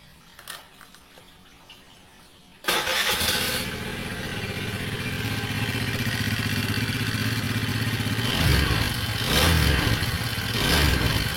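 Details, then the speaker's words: Honda Vario 110 LED scooter with oil found dry/empty: the engine runs with a harsh, gravelly clatter that roughens on each throttle blip. "Nah kita akan cek kita akan analisa di bagian langsung ke"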